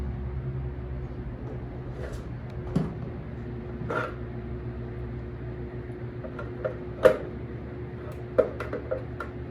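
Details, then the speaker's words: Washing machine wash motor only hums and won't turn: steady low electrical hum with no rise in speed, motor stalled. "Que el motor de lavado solo ronca, o sea, solo suena, pero no da vuelta."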